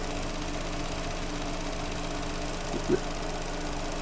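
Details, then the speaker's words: Vauxhall Astra after fixing a broken coil (cylinder 2 was arcing): quiet, even idle with steady beat, one small click; misfire totally gone, engine running cleanly. "so I don't know if you can hear that but we've got the engine running now miss fire has totally gone"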